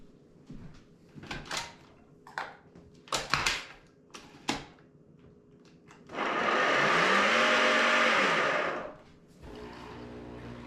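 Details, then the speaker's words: Nespresso Vertuoline brewing a cup: a few clicks then a loud blender-like grinding roar with a wavering whine for about three seconds as the capsule spins, probably caused by a worn spindle bearing to be replaced. "well does your nespresso virtual line sound like mine when it's making a cup of coffee well it's probably due to a bad bearing"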